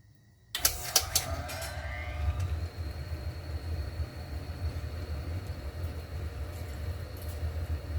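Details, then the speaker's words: 1959 Axeman Anderson 130M coal stoker boiler, fan refitted with old Vacman parts after the AHS fan assembly rattled for 10 months: after a brief start it settles into a low, even hum with no grinding or bearing rumble, running smooth and quiet. "I've been running the H the Radley AHS stuff for uh 10 months now I forgot how quiet this is"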